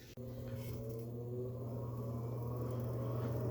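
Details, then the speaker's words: Gas furnace: a click, then the inducer fan hums steadily with no igniter glow or burner flame; no ignition, owner believes faulty control board, later replaced. "So you can see the fan starting up. And then if it were working properly, we would see the igniter turning on back here, but as you can see, nothing will be firing up. So for some reason, my furnace is not getting a flame,"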